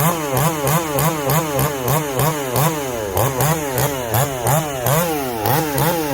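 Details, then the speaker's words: Chainsaw just fired up and tuned after top-end work with a tight fit: crisp high revs that bog slightly and recover with each pass through the wood, no stumbling or misfire; saw tuned right up and cuts normally. "once i get it tuned up we'll put it in some wood she tuned right up no problem"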